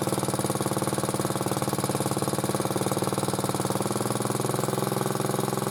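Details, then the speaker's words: Motor-cultivator that knocked and stalled in autumn after hard use, started poorly; idling after cleaning; light regular tick on each firing pulse, about three a second; owner suspects a valve tapping, before valve check. "Что-то мне не нравится, как он работает. Вот. Так-то вроде бы не стучит, но что-то какой-то клапан подстукивает."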